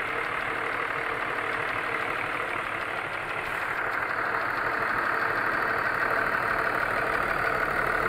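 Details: BMW E39 with M54 petrol engine at idle, oil seeping through the valve cover: a steady tapping knock at about three a second. The owner suspects it comes from around cylinder 3 and is disconnecting cylinders one by one.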